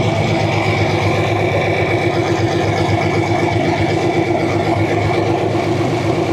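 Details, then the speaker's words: Model A sedan with a newly installed used engine, first run after hosing off and running the pump; even four-cylinder chuffing at about four beats a second, steady and unbroken with no knocks; a healthy, smooth idle. "That sounds good. Not much. Awesome. Oh, that's awesome. Right on."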